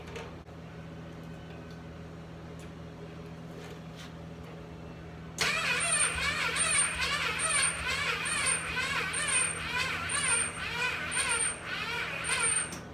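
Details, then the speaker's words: Rebuilt Yamaha engine in a cart, with borrowed used ignition coil and trickle-charged battery: starter turns slowly about two pulses a second, never fires; owner suspects battery needs more charge; weak cranking, no start. "Alright, so yeah, it just needs a little bit more juice, so I'm going to wait it out a little bit, and I'll see you guys here in a second."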